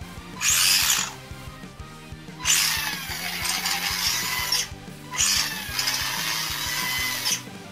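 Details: Vintage Tamiya Grasshopper RC car during restoration: short bursts of high-pitched motor whir on each throttle blip with light gear clicking on top; cause not confirmed. Gearbox clicking under acceleration.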